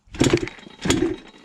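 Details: Ported Yamaha Blaster two-stroke ATV with pipe and rejetting, after a loud noise while riding: two quick kicks, each a brief rasping spin dying without catching; won't fire because flywheel worked loose, no red Loctite on shaft.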